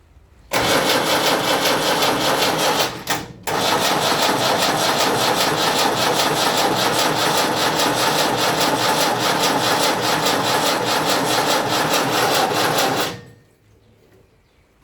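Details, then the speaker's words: Land Rover Series 3 diesel, project vehicle, first two injectors loosened, cranked via a temporary start switch: even cranking for about twelve seconds with no firing; still no fuel reaching the injectors, and the glow plug is blowing bubbles. "right i'm still not getting no fuel out of there there's so much not right here"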